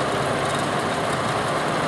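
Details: Belt-driven exhaust fan after replacing its 0.25 HP motor, 3L340 belt at set tension, first run; amp draw near upper end of 5.4 A service factor; steady even whoosh, no knocks, rubs or squeal, running smooth; normal fan operation.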